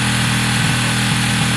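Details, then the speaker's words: WK RT 125 single after new top end, with choke on: quiet, even, smooth fast idle with no knocks or rattles; engine sounds good, clutch not selecting gear suspected adjustment. "okay guys as you can hear it sounds great it's very quiet it's smooth the choke is on at the moment um which is fine"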